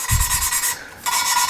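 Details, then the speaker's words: Lapping a valve on a 2JZ-GE VVTi head: a steady dry rasp as the valve is worked on its seat, now fairly fine with little grit left; the lapping is nearly finished. "but you hear how it's changed tone significantly and then it goes back to Grit keep working it so I don't have much of that grit left"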